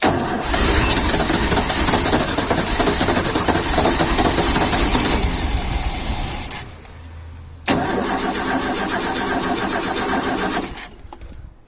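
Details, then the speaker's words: 1972 Ford XY Falcon 4x4 ute, very rusty, fuel tipped into the carburetor: starter churns quickly, about three and a half turns a second, stops, cranks again, never catches. Suspected not enough fuel; unconfirmed. "we're getting fuel not quite yet this is on Oh well sounds like not enough fuel not hearing bubbles"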